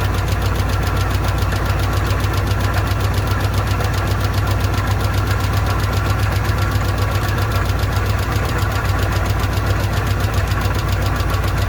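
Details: Old car with an old carburetor run on fuel poured into the bowl: loud, uneven chugging idle at three or four irregular beats a second, rough and struggling; owner says the bowl isn't taking fuel and the fuel pump isn't pumping.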